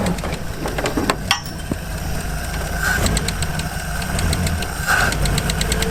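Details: Land Rover Series 1 six, sat unused for years, first run after revival; lumpy low rumble with a few odd clanks, but keeps running steadily.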